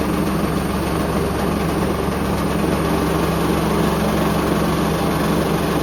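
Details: Hoover Link HL1682D3 washing machine, badly damaged, door seal twisted, on spin: constant loud rumble with jittery rattle about three beats a second as the damaged cabinet shakes, extremely loud; still works.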